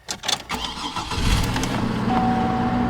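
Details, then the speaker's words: 2006 Chevrolet Trailblazer cold start, hood open: brief crank, fires right up and settles into a steady even idle with no misses; engine sounds healthy. "open the hood you can hear how good that motor sounds she sounds really good"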